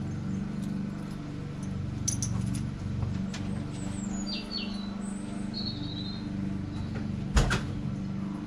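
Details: Austin Allegro after fitting new HT leads, replacing an old king lead that was sparking and causing misfire, judder and ticking; now a smooth, even low idle with steady firing and no stumble.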